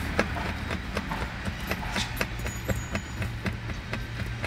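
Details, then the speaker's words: Tesla B-pillar seatbelt height adjuster rattles while driving, a light uneven plastic tapping about four per second over road rumble; a clip at the top strikes the metal body, fixed with a foam strip. "因为最上面这里有个卡扣是顶住这个金属车身的，所以异响来源就是在这里。"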